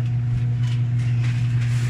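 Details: Electrolux 8 kg automatic washing machine after repair of a spin that had banged against all sides of the tub: steady low drum hum, even, with no thumping; normal spin cycle, fixed.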